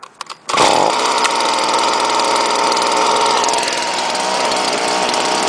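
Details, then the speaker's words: Stihl leaf blower (BG-series type engine), warm start: catches on first pull and settles into a steady, high buzzing run with no sputter; normal warm start. "this one has uh run and show so this is a warm start see how it"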